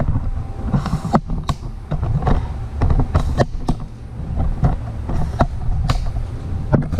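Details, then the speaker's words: Snowblower with an engine rebuilt last year after throwing a rod, oil full: runs with a steady low rumble and no squeal, much quieter than before when it squeaked. "Oh man, moves really nice now. I can barely hear it before it was squeaking and doing all sorts of crap."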